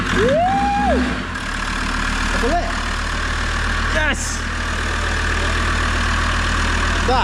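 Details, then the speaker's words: Land Rover Defender TD5 diesel idling just after its first start following a new galvanised chassis and new clutch; steady low rumble settles into an even idle with no knocks or stumbles; clean, healthy running. "is why I love a TD5 they will start even if their ass end is hanging off they will start"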